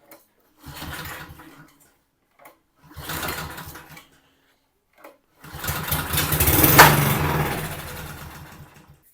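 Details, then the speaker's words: Very old secondhand lawn mower, fuel tank found bone dry, with brake cleaner sprayed into the carb after removing the air filter: short pull-start bursts, brief uneven putter that fades out; starts on primer then dies; blocked carburetor suspected. "So, it could be a blocked up carburetor or it could just be working. Let's put a drop of petrol in and see if it fires up."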